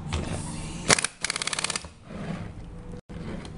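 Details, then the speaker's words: Pneumatic capping machine, sharp air hiss then a fast run of clicks in half a second tightening a loose cap; cap ends very hard to open, sealed without leak risk. Normal capping. "un segundo dos máximo es suficiente para que esto se cierre intentamos abrir está muy duro entonces queda perfectamente cerrado sin sin riesgos de fugas"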